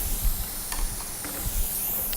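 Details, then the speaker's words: Punctured tyre after the screw was pulled from the tread, before plugging: a steady high hiss of air escaping from the hole under light handling noise. "All right, a little bit better angle here for us, and you can hear the air still coming out."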